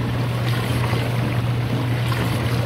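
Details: Dishwasher drain pump during drain cycle, drain line cleared and disconnected: steady low electrical hum with no water moving; pump motor energised but not draining.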